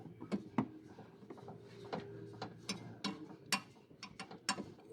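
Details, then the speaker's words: Renault Clio 4 front suspension, lower control arm (triangle) worked by hand: irregular dry clicks and a brief creak; arm shows wear, clicking, to be replaced. "On va changer le triangle. Voilà, parce que regardez, il fait du bruit."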